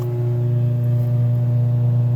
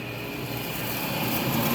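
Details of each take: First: Multi Chef oven rear blower motor run in test mode: steady low electrical hum with no fan whoosh, motor energized but not spinning; humming means the motor still wants to work. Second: Multi Chef oven blower motor after repair, powered up on test load: continuous steady rushing air, no scraping or rattle; the fan spins freely, working normally.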